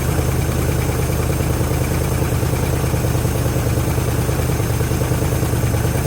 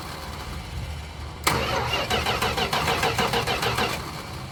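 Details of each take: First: 1973 Chrysler Newport 400 cu in V8 from junkyard, fuel system just hooked up, fuel filter filling: steady low rumble, even beat about three pulses a second, no knocks or misses; normal idle, little smoke, oil pressure present. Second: 1973 Chrysler Newport 400 V8 from a junkyard, starting fluid sprayed in the carb: steady starter cranking about three turns a second with uneven pops that never catch; crank no start, distributor wires in the wrong firing order.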